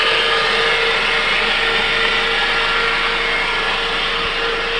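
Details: 2005 Mitsubishi Outlander, 2.4 L 4-cylinder, manual: steady thin whine over engine hum, present in gear or not, rising in pitch and loudness with RPM; alternator already replaced with no change, seems to come from a belt pulley, source unknown.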